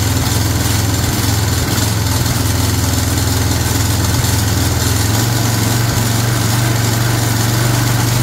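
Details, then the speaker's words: Long-sitting Craftsman 22" walk-behind string trimmer, 6.75 ft-lb Craftsman flathead single-cylinder, primed with spray before carburetor replacement; steady, buzzy run with an even low thrum, no stumbling. Normal running. "but hey first time I heard it run and uh it been sitting around and got some stuff spilled on it somehow"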